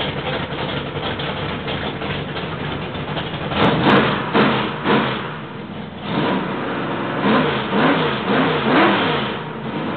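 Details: Rebuilt 1968 L88 427 Chevy big-block V8, hydraulic roller cam, 9.6:1 aluminum heads, timing 36°, start-up: lumpy steady idle picking up cleanly on throttle blips, no knocks or misses; sounds like an old L88, normal idle and revs.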